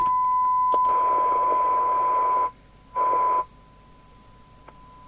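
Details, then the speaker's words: Harvard 420M CB27/81 UK FM CB radio on the bench, squelch at full with the signal generator off: steady tone with loud hiss rushing in and out; squelch not muting, traced to a resistor removed from the squelch switching circuit. "actually very noisy you can you can hear it so"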